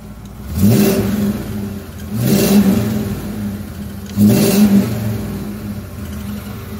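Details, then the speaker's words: 1993 Ford F150 with new custom 2.5" exhaust and Flowmaster 10, a leaking header/manifold gasket and a missing bolt: three throttle blips with a faint new tick following engine speed; owner suspects low oil, valve-train tick suspected, not confirmed. "That's a new noise. That's new. I wasn't doing that before. I might need some oil."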